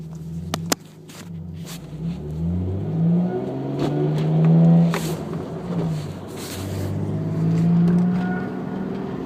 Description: Supra whine at 2500rpm, as heard at 0:04, 0:10, 0:26, what is it?